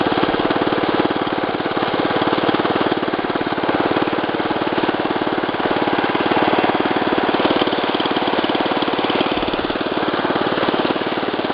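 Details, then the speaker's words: 1965 Wheel Horse 875 garden tractor, choke off, engine adjusted to run at idle: steady, even low putter that holds its beat as load comes on, no knocks or misses; healthy. "engage you can hear it put a load on the engine engine is adjusted so it will run at idle"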